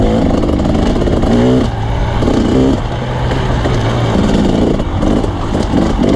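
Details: Two-stroke dirt bike racing at Merritt: ragged, uneven blubbering rather than crisp as revs rise and fall; running poorly, owner suspects jetting.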